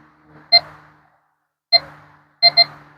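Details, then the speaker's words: JUANGU all-metal-mode metal detector with an 8-inch search coil sweeping over a dime on the ground: short, clear electronic chirps, single and then a quick double; target detected. "If I were to just go sweep above the ground. Oh, it's picking something up."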